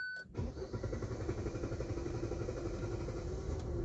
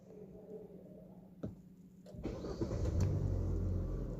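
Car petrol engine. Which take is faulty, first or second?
first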